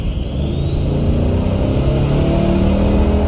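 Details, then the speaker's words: 2015 Chevy Silverado with an Armageddon twin-turbo kit at full throttle. A clear whistle climbs steadily in pitch over the deep V8 rumble, presented as a mystery whistle on downshifts; normal twin-turbo spool. "I'm not really sure what that whistle is. This is a twin-turbo 2015 Silverado."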